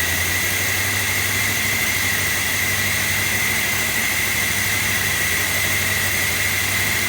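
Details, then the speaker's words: 1965 Chevy Bel Air station wagon just after a rebuild and conversion from manual, first run: a steady, even engine note with no knocks, misses or surging and a light hiss on top as paint burns off. "Sounds good though. Yeah, we're burning paint."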